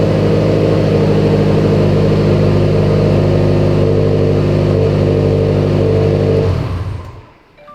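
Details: Subaru STI started after clearing a code suspected to be cam sensor, AVCS solenoid, wiring or timing: engine settles into a steady, even idle hum with no knock or tick, then shuts off cleanly; sounds healthy.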